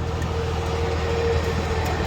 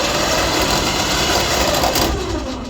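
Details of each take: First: DK2 Warrior Samurai 17,500 lb winch on a MAXXD roll-off trailer after repair; steady, even motor hum with low drone, no knocking or grinding, then a clean stop; winch working normally. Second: DK2 Warrior Samurai 17,500 lb winch on MAXXD roll-off trailer after 3 years of daily dumpster use, paying out cable under load: harsh continuous scraping grind as it starts to brake; brake or clutch slipping, sounds like hitting a gear.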